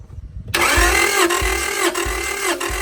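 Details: Honda Prelude H22 off the road 16 years, cranking during compression test with a teaspoon of oil added to cylinder 3 to check bottom end (reading over 150): starter whirs steadily, dips every half second, never catches.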